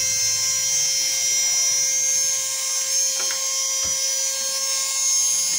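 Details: Slow hair dryer, opened with casing off: steady thin high whine with no rise in pitch, motor turning sluggishly; dry motor bearings need lubricating, later fixed with spray.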